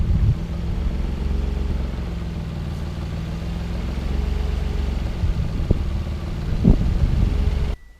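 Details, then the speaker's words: Mazda KL-DE 2.5 V6 swap, warm, diagnostic mode, idle air screw fully closed: steady even idle still fast; suspected vacuum leak somewhere, unconfirmed. "right that's stabilized now so I'm going to give it one more quarter of a turn and now that Val's completely closed which I think means we still have a vacuum link somewhere"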